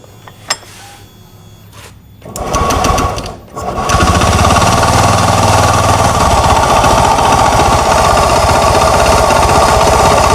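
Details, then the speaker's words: Honda Beat FI–type automatic scooter running without CVT cover: loud drone when revved and steady knock at low rpm/idle from worn, loose CVT drive component; causes judder and jerky takeoff. "Oke seperti yang kita dengar sama-sama saat digas ini muncul suara dengung dan saat langsam ini ada suara bunyi ketukan"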